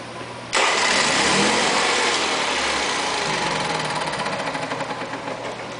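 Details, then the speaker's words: Honda EV6010 generator after cleaning the slip rings, fitting a new brush holder and refitting the rectifier: catches with a sharp burst, runs briefly, then sags and dies. Starts then dies; green light now on, but no AC output from an unplugged brown wire. "Starts and dies, but now the green light is coming on."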